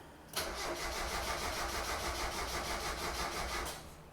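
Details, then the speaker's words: 1990 Mazda Miata after top-end rebuild, coil packs reconnected: starter turns the engine steadily for about three seconds with no firing, engine shaking a lot; owner assumes no fuel. Crank, no start. "and it's not turning over okay great now we know more than we did before"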